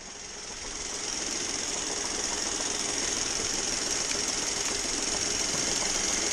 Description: knocking noise, coming from the engine bay. mazda 3 2011 2.0l. turns out its coming from the air conditioning compressor.